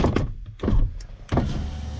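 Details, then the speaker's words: Car power window that would not go up in cold weather, after spraying WD-40 where it bound, possibly a stiff, old seal: brief clunk then steady healthy motor hum as the glass lowers freely. "je baisse. Déjà on entend mieux. Hop, on remonte. Elle remonte totalement sans problème."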